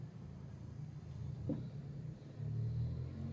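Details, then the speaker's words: Samsung Digital Inverter WD11644 washer-dryer: deep rumble and sharp knock as the loose drum turns, caused by a spider arm (tripod shaft) cracked through the middle. "o eixo tripé quebrado tá ele tá quebrado no meio por isso faz aquele barulho lá"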